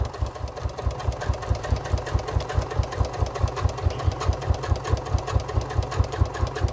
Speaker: can anybody else hear the squeak on my sewing machine I really do need to take this apart and a bit I think I know what it is